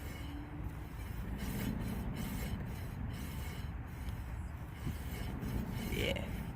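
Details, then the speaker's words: 2004-2008 Nissan Maxima, rear wheel raised and spun by hand: low gritty rumble with faint scraping; worn rear wheel bearing, whiny noise when driving, being replaced. "if you wiggle the wheel up and down and it's loose that's mean that bearing is very very bad"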